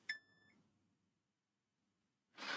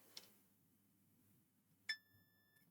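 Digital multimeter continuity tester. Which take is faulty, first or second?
second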